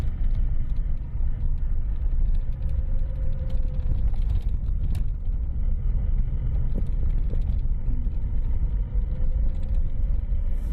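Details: Lada Priora after a steering rack rebuild with a new support and fresh grease: the small-bump knock was traced to the rack. Only steady road rumble over small bumps, no clunks; the steering is quiet.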